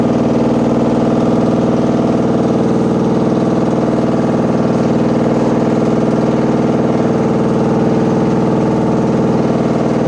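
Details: Washing machine running with a heavy, constant rumbling drone and fast, even throb, like a load of bricks inside; far too loud, cause unknown.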